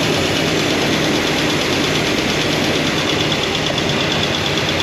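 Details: Freshly broken-in Comp Cams hydraulic roller cam and lifter combo idling, valve covers off: light, fast tapping. Number 7 exhaust lifter shows little oil flow and ticks despite poly lock adjustment; hydraulic lifter tick, with a switch to solid roller lifters planned.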